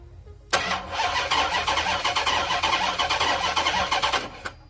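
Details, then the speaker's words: 39k-mile Dodge Charger SRT8 unstarted for over 2 years, starter jumped directly after clicking-only no-crank: engine cranks in an uneven, lopsided gallop, two to three beats a second, never catching; uneven compression suspected, not confirmed. "So that gallop's a little bit concerning. So it didn't start, but it's doing more than it did yesterday."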